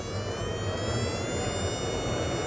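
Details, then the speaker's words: Drag race engine ignition with the VoltMaster feeding the coil: fast, even high-pitched buzz over low rumble at over 10,000 rpm, strong steady spark with no misfire, versus previous misfire around 7,000 rpm. "wow look at that we're up over 10 000 rpms you still got a good strong spark coming out of the coil"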